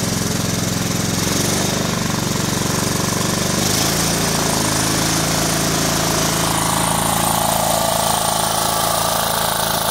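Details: Kohler Command CH16S engine in a Cub Cadet 2166, after reinstall and reseal/electrical/starter refresh: loud steady even chug, no knocks or misses; runs good, warming up after cold start.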